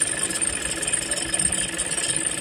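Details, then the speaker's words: Toyota Innova/Fortuner/Hilux diesel idling with a constant rough, rattly chatter; spraying water on the fan belt changes nothing, ruling out the belt; noise possibly from dry or worn bearings or the alternator one-way pulley. "jadi bunyi seperti ini diakibatkan oleh banyak faktor ya salah satunya funbell terus kemudian ada Biring yang kering atau ambrol Kemudian dari oneway alternator"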